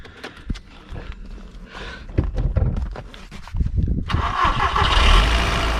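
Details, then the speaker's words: Audi TT MK1 turbo after turbo gasket work: engine cranks and catches, then a buzzy metallic rattle over idle; no exhaust blowing, the downpipe appears to be vibrating against the subframe and needs repositioning. "not blowing here but sounds like the downpipe's vibrating against the subframe so need to pull that up and do a bit of rejigging on that"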